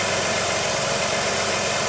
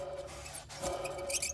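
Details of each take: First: 2005 Jeep Liberty idling just after alternator replacement: steady, even hum with no knocks or squeal, much quieter than before; battery reads over 14 volts, normal idle. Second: Worn alternator bearing on a Jeep/Dodge 3.7 V6 or 4.7 V8, belt removed and alternator pulley spun by hand: thin scratchy squeaking over a low rough rumble; alternator is bad and gets replaced.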